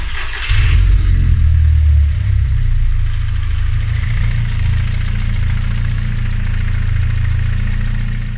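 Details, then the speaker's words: Seat Leon 1.8T AUQ engine stroked to 2.0L, freshly built and warmed on cheap break-in oil, idling with no dual-mass flywheel: gearbox gear teeth chatter/resonate at idle in a loose uneven rattle, gone when the clutch pedal is pressed and while driving. "pracuje jedynie hałas który Słychać dźwięk dobywający się ze skrzyni biegów nie ma dwumasy przez to skrzynia biegów popada w na wolnych obrotach taki rezonans słychać zęby jak u siebie uderzają ale Po wciśnięciu pedału jest OK"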